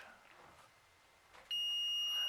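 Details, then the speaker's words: Kustom Sienna 35 guitar amp that hummed and blew fuses, removed 1N4007 rectifier diodes tested in multimeter beep mode: quiet, then steady high continuity beep on probe touch; diode shorted, bad. "and we have a beep that means that this guy is a bad diode and then this guy as well you do not want a beep it's bad"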